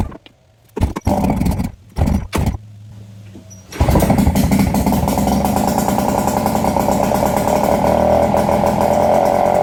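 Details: Nissan 5hp two-stroke outboard from a Marketplace jon boat, first start after carb cleaning: a couple of failed bursts, then an uneven, stumbling buzz that slowly evens out. Rough cold running; owner thinks it needs warm-up or tuning.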